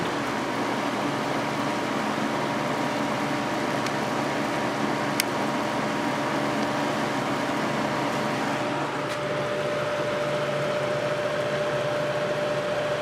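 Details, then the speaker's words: Vintage 1983-84 Lasko box fan on high, motor previously repaired with adhesive: steady electric hum with constant drone under airflow, runs smoothly; very pronounced hum, owner believes from many hours of use, resonating via single-piece motor mount. "so this one has a very pronounced motor hum because I'm pretty sure it has a lot of hours on it"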